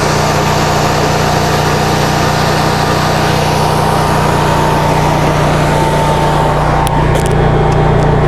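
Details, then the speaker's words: 2015 Cummins Power home standby generator, Briggs Vanguard engine, after rotor repair, front cover removed, before load and warm-up: steady even hum with a constant low drone, no knocks or surging. Running smoothly. "Once we get it under load and warmed up, I'll put that back on so you can hear. This thing is quite quiet when it's"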